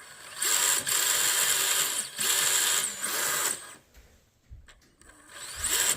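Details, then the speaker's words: Axial SCX24 RC crawler fitted with an Injora metal transmission with plastic pinion gears; high, even gear whir rising and falling in short drive bursts, no clicks or skipping; healthy, only slightly louder than stock. "I would say it does sound a little bit different a little bit louder would be fair to say that being said it really does not sound that loud at all like it if the scx24 did come with stock stock Metal Gears like this it would sound it would sound just fine"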